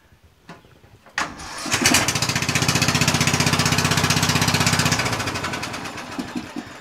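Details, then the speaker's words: Murray lawn tractor engine after a valve adjustment. A short crank, then it catches quickly and settles into an even steady beat; the valve adjustment made it start easier. The drive belt is found off its pulley, so the transmission does not drive. "it was the valves that make the engine start easier so i'm glad we figured that one out"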